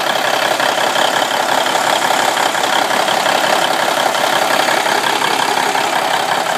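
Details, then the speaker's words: Cummins N14 in a 1995 International truck, first start after installing replacement ECM with customer's parameters copied and gear-down protection disabled: big diesel settles into steady, even idle, no miss, knock or hunting; normal idle. "So we're going to start it up in a minute and see what happens. Alright, she's running. Sounds pretty good."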